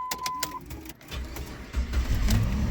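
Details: Dead car jump-started with an Auto One jump starter/air compressor: a few clicks and short electronic beeps, then the engine catches and settles into a low, even run; starts normally.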